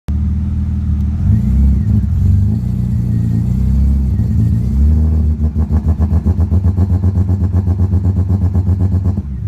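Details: 1990 BMW 325iS (E30) with swapped M52B28 six-cylinder and manual gearbox runs rough, rev-hunting under light throttle and struggling to hold about 1500 rpm after driving through 1-2 inches of water; CEL 1222 persists despite a replaced MAF.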